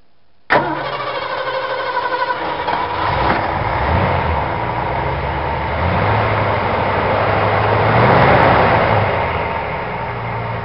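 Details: 1965 Ford Galaxie V8 just after a quick cleaning of its 2-barrel carburetor; catches immediately and settles into a steady, slightly lumpy idle with a gentle swell, runs fine, idle may need adjusting.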